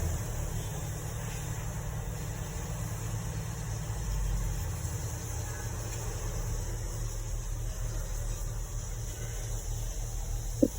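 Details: Porsche Cayenne inline six after cleaning blocked cylinder 1 and 2 injectors and clearing codes: quiet, smooth, even idle with no stumble or shake; misfire fixed, running clean on all cylinders.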